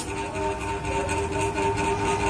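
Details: Polsen Regency Tornado stainless fan that won't spin: constant electric hum with a steady buzzing tone and no blade rush; motor energized but stalled on a seized shaft bushing, fixed by replacing the bushing with a 6000 bearing.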